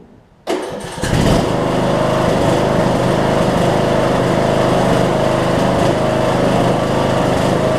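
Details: Troy-Bilt Bronco, Briggs & Stratton 18hp Intek, Chinese Nikki-copy carb with drilled low-side jet, air filter and housing refitted, low fuel; starts and settles steadily under blade load, only faint surge left, now idles down.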